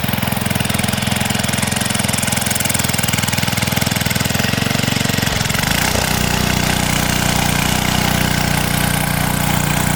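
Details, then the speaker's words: Revived 1970s Hahn Eclipse tiller (BHT-120), 3.5 hp flathead Briggs & Stratton, gear fluid full, tilling wet dirt: engine pulls steadily, note dipping under load then recovering smoothly; runs healthy and strong under load. "Thing's a workhorse. Works great."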